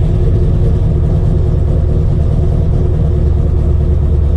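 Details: RX-7 with 7.0L 427ci LSx V8 swap, third start attempt after five months' storage, cold, no throttle: deep lumpy idle with steady choppy cam rhythm, cleaning up and settling smoothly; healthy engine warming up.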